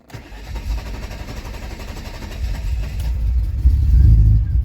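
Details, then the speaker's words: 1992 Mercedes 190E W201, 2.6 M103 inline-six: starter churns steadily for about 15 seconds before the engine fires and picks up; long crank, not under-hood, CIS or injectors, fixed by replacing the fuel accumulator. "every time I start the car, I have to sit there and start cranking it for about 15 seconds or so, and then it'll actually start."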